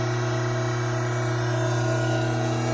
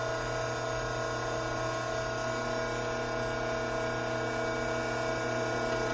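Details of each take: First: Hydraulic pump under normal operating conditions, before an inlet restriction: steady even hum with no rattle or crackle; inlet vacuum 3 inHg, pressure about 310 psi, no cavitation. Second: Hydraulic pump with inlet restricted: steady whine with gravelly crackle as vapor cavities implode on the discharge side, cavitation.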